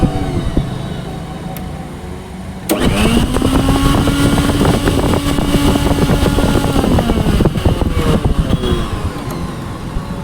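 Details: Philips mixer grinder after repair, previously very noisy inside: spins up quickly to a steady, even hum with no rattle, scraping or wobble; normal running.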